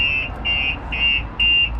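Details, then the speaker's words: 2019 Mercedes X-Class fitted with a StarLine S96 alarm and immobiliser: a loud, shrill siren pulses about twice a second when the door is opened without the tag. "the alarm goes off nice and loud when they get in your vehicle and try and start it."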